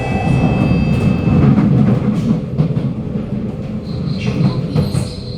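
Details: Kawasaki Nippon Sharyo C751B SMRT train car 1351, Bukit Gombak to Jurong East, in poor condition: rail clatter with thin high squeal fading in and out while braking; wheel screech, most probably worn-out wheels.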